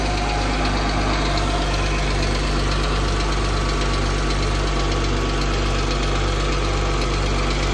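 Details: 2014 Jeep Wrangler 3.6 Pentastar at idle: light quick tick about two per second over the engine; owner unsure whether rocker arm or valve tick.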